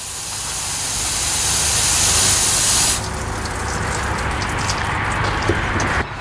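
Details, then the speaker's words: Turbo 5.3 LS Chevy Silverado running with a fuel injector popped out of the 60 PSI fuel rail, retaining clip missing: loud rising hiss of spraying fuel over the engine, then dropping back; fuel leak, fire risk on hot headers. "Now you can see that's a mess. That is fuel spraying all over the place. And if your headers are hot, you're now on fire."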